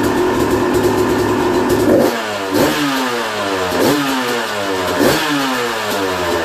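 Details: 2001 Yamaha YZ250 two-stroke bought running poorly, after new top end, jets and service (compression tested 100psi, owner has an idea why); crisp burble picks up cleanly on each throttle blip and settles evenly, normal idle and revving.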